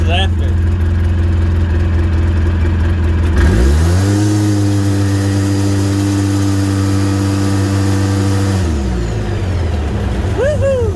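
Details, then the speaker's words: 2008 Polaris RZR 800 after fuel pump assembly replacement (with regulator, filters, fuel level sensor, float) to cure bogging from a stop and stalling: clean idle, smooth rev up and even return, no bog; fuel gauge no longer blinking; normal idle and revving. "so fogging fixed idle seems better fuel gauge is no longer blinking it is accurate"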